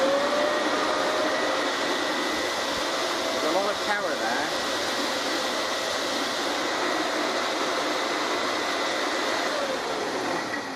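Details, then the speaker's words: Recently refurbished motor from a 1930s Hoover 725 upright vacuum, run out of the cleaner by hand with the fan fitted loosely on the armature; steady even whine with airy rush, no knocks or wobble — normal, smooth motor run. "You'll hear the difference in the noise, but it's still really smooth."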